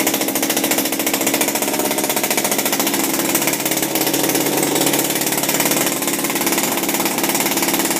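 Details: Refurbished Shindaiwa power broom two-stroke with new carburetor, gaskets, carb screws and recoil, running without air filter: quick fairly steady buzz, about three or four pops a second; it's popping, healthy normal running.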